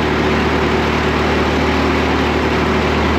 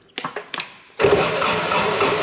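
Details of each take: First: Woodmizer LT70 sawmill, Caterpillar-badged Perkins 2.2 four-cylinder diesel, sat for years, first start after bleeding old fuel. Steady low idle, even beat, no misses or knocks, firing on all four; normal idle. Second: Woodmizer LT70 sawmill diesel, sat for years. Lift pump feed line is off and the fuel system was primed with key on. A few slow uneven cranking pulses, then a steady rush, but no start; little fuel comes out. Weak lift pump suspected of starving it of fuel.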